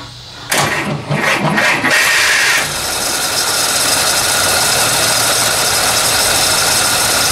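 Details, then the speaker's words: 1948 Chrysler Town and Country revived after sitting, fresh fuel added: steady starter churn about three beats a second, no firing; owner suspects fuel pump not yet primed; cranks but will not start. "I don't think Mr fuel pumps woken up yet"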